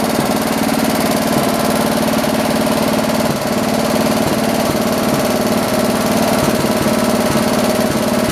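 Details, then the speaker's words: John Deere 112 round fender tractor with a Kohler K181 single-cylinder, after governor and throttle assembly adjustments: a steady, even beat holding constant speed with no surging. Running normally; the owner thinks the idle needs lowering a little. "got it running again let's try it out this time [Music] [Music] so cool i think we need to lower the idle a little bit"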